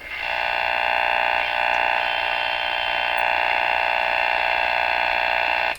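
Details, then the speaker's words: Rogers 11RA651 shortwave tube radio during magic eye restoration, tuning the band: harsh steady buzz with a pulsing beat about four times a second from outside interference, with weak stations now audible through it where previously only interference was heard. "Okay, so what's kind of happening there is we're able to pick up some pretty weak signals in the face of all this interference."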